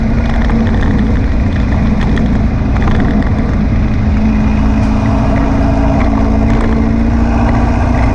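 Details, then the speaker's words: Air-cooled VW beach buggy driving after clearing a blocked idle jet in the driver's-side carburettor and rebalancing the carbs: an even, steady drone at a constant pitch with no popping or stumbling. Tickover is slightly fast but it runs clean. "seemed to have cured all the popping and far in kicking over a little bit on the fast side but it's running"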